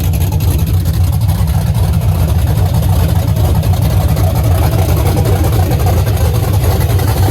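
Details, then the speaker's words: LS-swapped Chevy C10 just after first start, untuned, unknown aggressive cam; loud deep V8 idle with uneven choppy lope about three to four beats a second, engine otherwise healthy; lumpy cam idle. "guys i guess this thing's got a cam in it huh i have no idea what it is but i have the cam card i don't know how much chop that is but seems like a lot"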